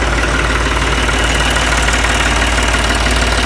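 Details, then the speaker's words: Ranch diesel tractor with hard starting, fired after hammering the starter solenoid: steady even chug at idle, about three beats a second, no knocks or stumbling. "Beat up on this solenoid a little bit. Some bitch fired right up."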